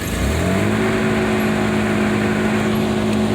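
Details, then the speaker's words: 1993 Nissan Pathfinder 4x4, 205k miles, manual 5-speed, on a 100-degree day; even, steady hum with clean tone rising slightly and holding, no knocks or misses; normal smooth running. "It's just a smooth sounding engine."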